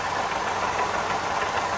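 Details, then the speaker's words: 2013 Toyota Sienna Limited at idle, before repair: continuous rough whirring from the front of the engine, worn water pump and idler pulley bearings getting worse over weeks; replaced to prevent breakdown. "so it is the noise that uh telling us that the water pumper is blown out eventually so i'd rather replace it now before it breaks down"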